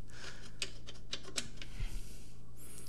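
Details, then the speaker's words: Gotrax GXL V2 scooter: sharp irregular light clicks, a few per second over a low hum, from a loose front wheel part, not the motor (motor replacement didn't help); tightening it with rubber eliminated the noise. "so I'm pretty sure that my sound is coming from here so I use the rubber to tight it and then when I WR write the sound is completely gone"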